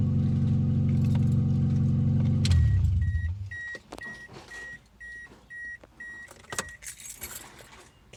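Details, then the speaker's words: 2002 Toyota Echo whose catalytic converter was cut out and stolen overnight: a loud, deep, rough open-exhaust roar at idle from the cut pipe, then the engine cuts off to a door chime. It was quiet the night before. "guess what happened to my car that's right see that my catalyst converter was stolen you see that clean cut i don't know if you can see it that and that funny noises coming out through these holes"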